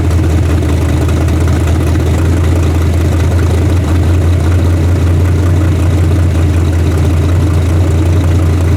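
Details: Carbureted 406 small-block V8 just rebuilt and reinstalled with an open plenum intake: a deep, even rumble with a steady beat and no ticks or knocks. It runs snappy, though they note it may need a bigger carburetor. Normal idle.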